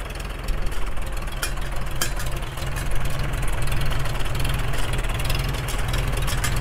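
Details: Freshly restored 1942 Farmall H tractor, muffler just fitted, carb roughly tuned, engine still breaking in and not fully hot: deep steady low thumping at slow even idle, no misses; running fairly well.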